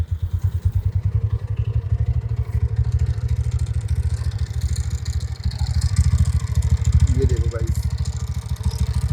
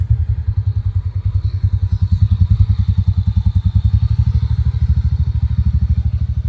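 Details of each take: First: TVS NTORQ scooter idling: heavy, uneven low clatter about three times a second over the engine; loose nut-type one-way clutch causing the rattle. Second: TVS NTORQ scooter after the one-way part was fully replaced to fix a fan noise problem: a steady, even low putter at idle with no rattle, and a smooth exhaust note. Noise much reduced; normal idle.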